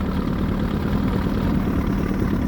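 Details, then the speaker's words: Evinrude 88 SPL V4 outboard that squeaked and ticked at idle and when cranking after a powerhead replacement, now with new head gaskets, bolt holes cleaned and bolts torqued to spec (one was under 15 of 20 ft-lb): smooth, even idle burble, no ticking. "Cleaned out all the bolt holes, made sure the heads were good and the block torqued to specs with new gaskets."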